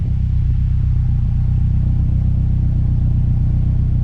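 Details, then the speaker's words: Honda S2000 at idle after swapping fuel injectors: smooth, steady exhaust tone without the earlier intermittent extra tone, no longer floating and bouncing just over 1,000 rpm; normal idle, suspected leaking injectors to be tested. "Exhaust sounds like a smoother tone. I'm not getting that extra little tone that pops up every so often. It's a nice steady tone."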